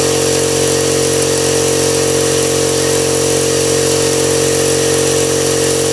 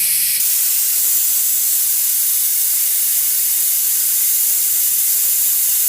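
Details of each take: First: Husky five-gallon air compressor after replacing the pressure switch, which had failed to cut off: steady, even motor hum with a constant mid-pitched drone, no knocks or surging; running normally. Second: Husky air compressor: a constant high, sharp hiss with no pulsing or motor sound, steady throughout. Air is escaping, suspected at the pressure switch.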